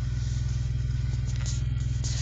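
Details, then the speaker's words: Honda EJ1 at idle, about 600 rpm, owner unsure whether that low idle is normal; car also misfires and jumps under acceleration: very low, slow idle with steady, even low thump, no misses or knocks; sounds normal. "It sounds fine, though. It looks like it's about 600, but I think that's about normal."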